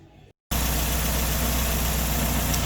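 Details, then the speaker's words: 2012 Renault Sandero at idle, valves adjusted after 50,000 km but knock returned: fast light knocking rattle over steady idle caused by the loose air filter housing missing its bolt. "o barulho tá aqui ó isso aqui tá solto Olha isso aqui ó ó ó tá sem parafuso aqui"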